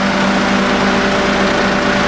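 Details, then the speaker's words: 1995 Mazda Bongo Friendee after cylinder head installation, warm after half an hour running with the coolant system bled. Even, steady idle with a smooth fan whoosh, no knocks or misses; motor sounds good. "sounds fine motor sounding real well as well I think it's all good"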